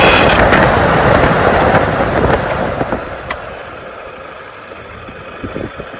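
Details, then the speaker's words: 2004-2008 Ford F-150 blower motor tested out of the truck after resistor replacement, voltage present: spins up loud then sags and runs rough with uneven catches; intermittent, bad internal connection suspected. "So we know that the controls are all good and the fan is bad."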